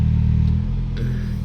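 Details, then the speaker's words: Mitsubishi 4G63 petrol engine after repair, cold start in the morning with coolant still cold: smooth, steady low hum with idle held slightly high, a normal fast idle during warm-up that will drop as it warms; idle compensation also rises when steering. "นี้ตอนขนาดน้ำเย็นอยู่นะครับเป็นเรื่องปกติจะสูงนิดนึงนะครับ"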